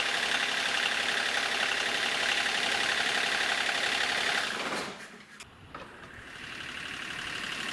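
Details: 1994 Geo Metro converted to a turbo Kubota D1105 three-cylinder diesel, idling after the failed in-tank lift pump was replaced with an electric diesel pump: a steady, even clatter with no misses or stumbles. It idles smoothly.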